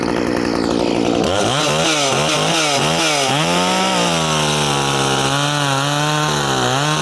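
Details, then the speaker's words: Poulan Farmhand 2500 two-stroke chainsaw, converted from 3/8 low-profile to .325 chain, started on choke. It revs up crisply, then holds a steady high pitch that sags only slightly while cutting wood. Normal running under load. "But it's been my experience, I've had several of these at this point, as long as you've got a decent fuel system, they run decent, you know, they're a totally decent little saw."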